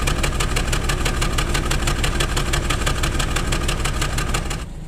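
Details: Nissan Tiida engine at idle: uneven, loping idle with a regular tick-like stumble about three times a second; suspected misfire, not confirmed.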